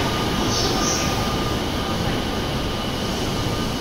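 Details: JR Yokosuka Line E217-series train arriving at Shinagawa Station: a thin, steady high-pitched tone over the heavy rumble of the arriving train, an odd noise of unclear cause.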